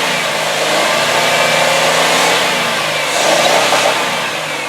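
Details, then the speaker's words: 2002 Ford Taurus LX, 3.0-litre V6, higher mileage, possibly new battery: revved from idle smoothly up to the rev limiter to a steady high-pitched howl, then eased off; no high-rev knock, no valve-train noise, no exhaust smoke; healthy engine. "So, bringing it right up to the rev limiter, as you just saw, there's no high rev knock, there's no valve train noise. This sounds like a really, really good motor."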